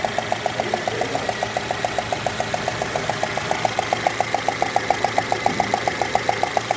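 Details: 2016 Citroën C3 1.5: sharp, even ticking about 3.5 times a second over a quiet idle, caused by compression escaping past a loose spark plug. Plug inspection found the fourth cylinder full of debris.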